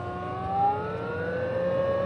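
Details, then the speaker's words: VARMINPOOL 220-volt variable speed pool pump, new install, running at speed 2 (2000 RPM). Quiet, steady motor hum with a soft tone climbing slightly as it settles; smooth and even, no grinding or rattle. Normal running, hardly audible. "and you can hear that the sound is not very much with this pump. You can hardly hear it really. That's speed 2 at 2000 RPM."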